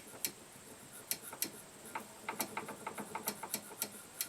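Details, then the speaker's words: Harbor Freight Greyhound GX200 clone engine, off the mower and turned by hand: light uneven clicks about three a second from a lot of shaft play; connecting rod seems tight. "I actually recently discovered messing with this motor after i' taken it off there is a lot of shaft and play here"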